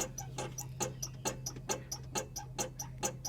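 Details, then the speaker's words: 1998 Chevrolet Cheyenne K2500 4WD, driver-side front, with a helper bouncing the bumper: sharp rubbery squeaks about twice a second. The vibration is felt at the top of the shock, from a failed upper mount bushing. "all right the vibration is i'm feeling a very distinct vibration now on the shock absorber"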